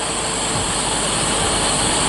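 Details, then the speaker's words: Jeep CJ just after swapping the Carter BBD carburetor for a Weber 32/36, first start with no adjustment: steady, even idle with a smooth hiss over a low hum and no misses; idling cleanly, though vacuum leaks are suspected and lines need rerouting. "I've got to reroute a couple vacuum lines, make sure they're all done right, but it's idling again."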